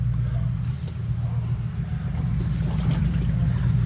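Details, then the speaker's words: Jeep Cherokee driven slowly after a big rainstorm: low road rumble with faint, irregular watery swishes from one side, water trapped inside the door, with drips seen there. "Water is in this door. That water gotta be in the door panel."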